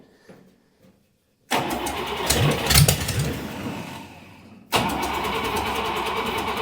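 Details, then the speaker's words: Buick Nailhead V8 rail dragster on a newly fitted carburetor: starter grinds the engine in bursts with uneven firing and no catch while the float bowls fill; crank no start. "come on I flood it this accelerator pump is not happy"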